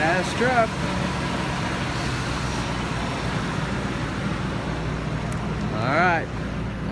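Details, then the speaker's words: 2000 Ford F-150 SVT Lightning, supercharged V8, listened to from outside: deep, even rumble with steady rhythm, no knocks or misses, supercharger audible; running strong and normal. "sounds normal sounds good sounds strong can here the supercharger wor"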